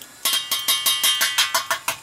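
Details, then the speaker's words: Tap test on a heating system expansion tank with a rubber bladder, half charged with air at about 12 PSI: a dozen quick, even taps sound hollow low down where the air is and solid up top where the water is, so the tank is still good. "Now you can hear that change in pitch when I'm banging on it. Hear how it gets from hollow to solid? That's indicating that this tank is still good."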